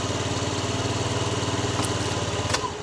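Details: Old Honda Dio 50cc two-stroke scooter, running after dead battery replaced: fast, even puttering with no misses or rattles; idles cleanly, normal idle.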